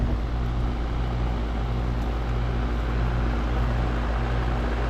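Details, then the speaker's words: Goodman heat pump outdoor unit, checked after a customer complaint of loud clunking. Line warm, fan running smooth: steady even low hum with no knocks or clunks. Normal running. "feels like that Line's warm no noise right now Fan's running smooth"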